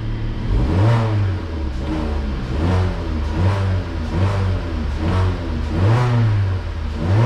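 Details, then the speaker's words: Vauxhall Insignia after a faulty coolant temperature sensor was repaired, engine cold with the gauge at 50 degrees: repeated blips rising and falling cleanly with no hesitation or bogging, sounding much healthier than before. "that sounds a lot better as well a lot more healthier no bogging on the button"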